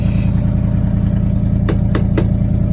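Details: 1979 Chevrolet C30 square-body truck with a rebuilt Rochester Quadrajet carburetor, no fuel tank fitted: a deep, steady V8 burble with a regular firing pulse and a few light clicks. Normal running; it sounds good overall.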